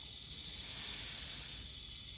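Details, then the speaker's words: 2020 Jaguar F-Type (X152) crash-salvage rebuild: steady high-pitched hiss of coolant escaping under pressure, level dropping; leak is from the rear of the main radiator itself, not the pipe, so the radiator needs replacing. "There's actually a leak and it's in the worst place ever. This you hear it. The main radio is leaking."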